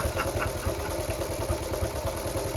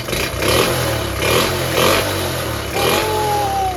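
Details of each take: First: Honda Cub C70 under restoration, single barely ticking over with a slow, lumpy putt of about four and a half beats a second while the idle is being adjusted; idle set a bit too low. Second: Restored Honda Cub C70 single revs up and settles several times, choke off, crisp with no misfire or stumble after the ignition points fault was fixed; running sweetly.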